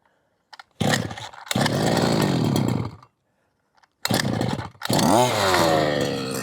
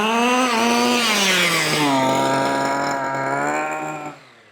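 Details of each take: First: 1/5-scale petrol RC car two-stroke, unstarted for months: fires in short bursts, cuts out, then catches and revs unevenly; low-speed mixture too lean to run, richened low-end needle to get it running. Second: 1/5-scale petrol two-stroke RC car at quarter throttle after leaning the low-end needle, which had been too rich and sluggish; clean, steady buzzy pitch without stumbling, and full throttle doesn't cut out; carburettor running well.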